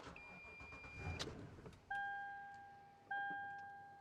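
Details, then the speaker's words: Car being jump-started with an older lithium jump starter, alternator connected. Engine catches and runs about a second, then dies, warning chimes follow and the battery light flashes: likely the battery and the jump box lack power to keep it running. "was able to turn it over and start it but not keep it running now I do have the alternator connected on this vehicle so there's no reason that should be happening"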